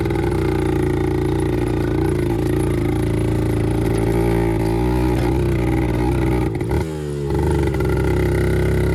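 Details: 1974 Kawasaki MC1 two-stroke revived by fitting a new spark plug after cleaning the old one failed; crisp buzz climbing and easing with throttle, firing clean with no misses or knocks. Normal running.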